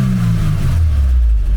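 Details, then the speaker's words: 1990 Mercedes-Benz 190E Evo 1 with Evo 2 kit (Cosworth engine); a deep, heavy note with a booming low drone as revs rise and fall sounds weird and rough. Abnormal sound when revving, cause unknown. "They will forgive me, but the this engine sounds is weird."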